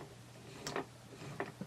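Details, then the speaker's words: T96 overdrive unit turned by hand: a few faint, sparse ticks over quiet gear movement as the blocker ring hits the pawl and the sun ring stops rotating; normal overdrive blocker ring click. "Just listen, and you can actually see the sun ring rotating, and it'll stop rotating once the blocker ring hits the pawl. Hear that? Ignore the noise of the movement of the gears. Just a little click, little tapping sound."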